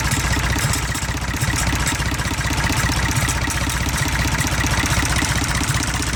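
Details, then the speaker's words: IH 484 diesel tractor idling, injector lines cracked one at a time: uneven clattery beat about two and a half pulses a second; number 1 cylinder weak. "So we're going to crack number 2, because this is the nozzle that was. Okay, so number 2 definitely still makes it miss. Number 1 does too, though. What about number 3? Number 3 definitely makes it miss."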